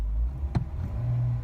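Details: Jeep after drive home with coolant temp about 204°F, dash previously showing transmission temperature in park: brief crank, catches and settles into low even idle rumble; normal start and idle.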